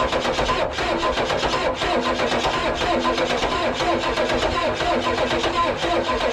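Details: 1994 Ford crew cab, newly acquired project, sprayed with starting fluid: long, rough cranking at about one turn per second, never catching. Owner suspects a weakening battery and unknown fuel supply, may prefill the fuel filter.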